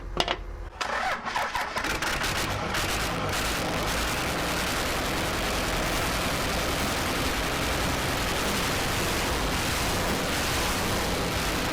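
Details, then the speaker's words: Cummins-swapped Jeep Wagoneer diesel after lift pump was producing air, fuel system bled with electric pump: cranks briefly, catches, settles into steady, even diesel clatter at idle, no misses or knocks; sounds really good. "it sounds good now it sounds really good my heart's racing you can hear all 135 of those horse powers or whatever these are all the torques all the torques"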